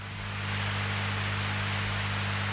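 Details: Transformer-based guitar pedal power supply under noise test: quiet steady mains hum with a faint hiss behind it, even and unchanging; normal low noise.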